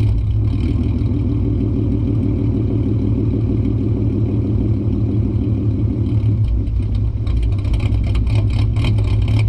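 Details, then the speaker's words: 2008 Ford Mustang 4.0 V6 idling in drive with deliberate vacuum leak via the EGR line (idle chop mod): uneven loping idle with a rhythmic chop in the low rumble, sounding cammed. "So in drive, I mean, it sounds gnarly. It sounds like it's actually cammed."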